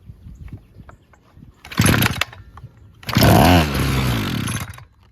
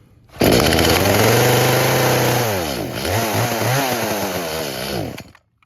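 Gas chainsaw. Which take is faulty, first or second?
second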